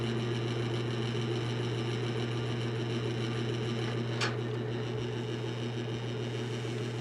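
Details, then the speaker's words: Vintage General Electric 3-speed reversible box fan on medium, running slower than medium should: low steady hum with faint rattling buzz from the vibrating emblem; sluggish motor from dry bearings needing oil. "that can't possibly be medium that's the emblem buzzing should be going a little faster at medium now"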